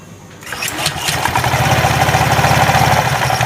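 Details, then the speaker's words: Honda Vario 125 scooter just started at idle, before CVT disassembly: a fast, uneven metallic clatter of about three knocks a second. The rattle gets louder on throttle. Loose roller housing or worn rear pulley suspected. CVT rattle from loose driven pulley. "Itu suara berderak. Bunyinya sangat berisik. Saat mesin dalam keadaan idle dan saat digas, semuanya jadi lebih jelas, saudaraku."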